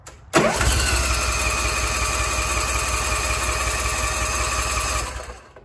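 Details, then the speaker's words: First start of a newly assembled Bradley 36-inch hydro walk-behind mower, with parking brake on, blades off, choke out and half throttle: it catches almost instantly and runs a smooth, even idle for several seconds before shutting off cleanly. "we're going to have the parking brake on blades off obviously choke out we'll go half throttle it might take a little bit for fuel to get through the system"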